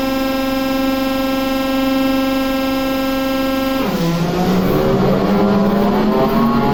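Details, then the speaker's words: TEP70 0237 V16 locomotive diesel, first start after repair following oil priming: long steady cranking whine, then pitch drops and turns ragged as it begins pulling fuel; hard start because the governor was empty of oil. "Еще раз. Регулятор-то пустой, без масла. Вот сейчас начал тянуть."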